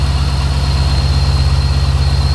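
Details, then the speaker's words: LS1-swapped C3 Corvette barn find that sat a very long time, first running after revival: a steady high whistle over an even low idle. The owner suspects the belt, not confirmed; ticking and flapping noises were also heard on earlier starts. "So, I definitely hear some noises. Um the the the the whistling might just be from like the belt or a p"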